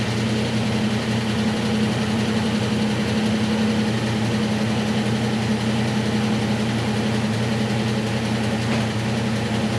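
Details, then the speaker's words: 1966 Mustang coupe with a factory V8 and 4-speed, first cold start after fitting a new Edelbrock 1406 electric-choke carburetor (mixture and fast idle not yet adjusted): steady, even low V8 idle with no misses or knocks. Normal cold idle. "it's nice to hear it fired up really more or less on the first try and had to get some fuel throu"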